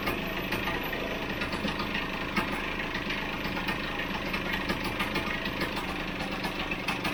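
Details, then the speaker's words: Vespa GS150 two-stroke warming up after a kick start, cowling off, before carburettor tuning: a brisk, even buzzing tick-over, noticeably faster than a proper idle. The idle speed needs turning down. "right the camera's actually in my way at the moment so i'm going to take off this cowl in uh sorry the air box again because it's too it's ticking over too quick"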